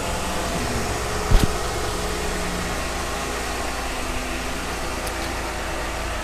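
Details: 2015 Jeep Wrangler just after an oil change with 5W-30 and new filter: steady, even idle with a low hum and no knocks, ticks or misses; no leaks, engine sounds healthy.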